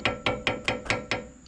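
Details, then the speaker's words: 2002 Ford Crown Victoria front end, upper end removed and engine off: six sharp metallic clunks about five a second as the deteriorated sway bar end link is rocked by hand, the metal rattle heard over bumps; fix is replacing the end links. "So obviously all this is gone, it's deteriorated, And here's the sound you hear when you go over bumps."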